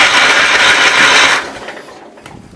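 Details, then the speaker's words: 1980 Wheel Horse C145 garden tractor cranking: quick, even starter whir turns the engine over but it never fires; no-start traced to the fuel pump not pumping. "I diagnosed it down to the fuel pump not pumping."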